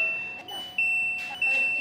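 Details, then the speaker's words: Polytron PAW9513B washing machine after repairing a dead control module: on start, high steady electronic tone in long beeps about every half second; door alarm, possibly a door sensor reading open. "Di saat saya start, di sini ada alarm door seperti ini."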